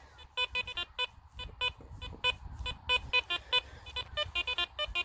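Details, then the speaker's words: Garrett Apex metal detector with sensitivity turned down low, over a small silver coin: quick bursts of clear high-pitched beeps, slightly uneven, with target ID numbers jumping slightly; still a signal worth digging. "numbers are jumping about slightly but by the sound of it I would dig that all day long and as I say that's with sensitivity down that low"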